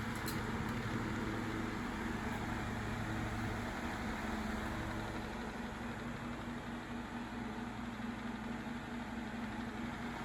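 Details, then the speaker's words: Vintage Galaxy 9-inch desk fan, believed model 2154, one of two fans said to be from the mid-to-late 70s and mid-to-late 80s: running normally while oscillating, with a soft steady motor hum and even airy whoosh. With the oscillating gear engaged, the rotor does not rattle. "kind of let you get a feel for the the motor sound and just the way the fan sounds and appears to operate"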